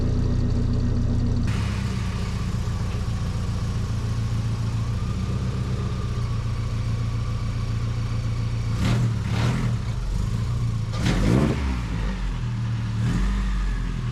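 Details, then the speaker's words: 1978 Datsun 620 4x4, rebuilt KA24E, after repairing exhaust leak from broken flexible coupler in stainless exhaust: even, steady idle with a couple of clean throttle blips, no puffing or ticking; normal idle. "And then bring it back. We'll fire it up, see how it sounds."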